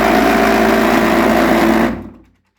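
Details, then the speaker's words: Lybid washing machine switched on briefly: harsh buzzing rattle from an agitator loose with visible play, smelling of burning plastic from friction; adding water won't help, the agitator must be replaced. "болтается активатор Видите какой у него люфт многие воняет очень кстати такой гарью пластмассовым как пластмасса горит"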